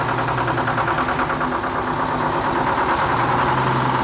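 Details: Detroit two-stroke diesel dragline in a Florida sandpit, unmoved for 13 years, started with a little ether: steady, even drone at constant idle with no knocks or misses; normal running.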